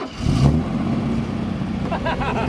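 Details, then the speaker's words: Mercedes-Benz W123 250 long-wheelbase ex-taxi, parked 17 years, start attempt: a sharp single bang as the engine tries to catch, then ragged uneven running; backfire on starting, cause unclear. "what did it do like a half shot banging or something"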